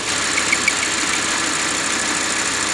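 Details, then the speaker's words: Audi R8 V10, warm idle: light quick ticking/squeaking over busy hissy idle, suspected from crankshaft seal retainer rubbing due to crankshaft play, possibly crankshaft seizure; gone after retainer replacement. "크랭크 축과 리테이너가 유격 때문에 데이면서 나는 끽끽끽 소리예요. 혹은 크랭크 축이 진짜로 소착됐을 수도 있어요."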